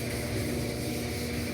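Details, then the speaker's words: Magic Chef dryer after replacing the belt and idler arm: even low drum rumble with a soft rushing hiss, no squeal or thumping. Running smoothly. "You can hear it running, but it's running. Life's good."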